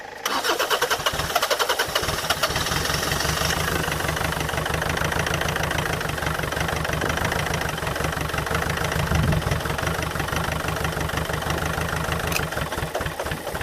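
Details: Land Rover Freelander 2.0 TD L-series diesel: steady rapid cranking for about twelve seconds without ever catching, a crank no-start; a leaking pipe was later found.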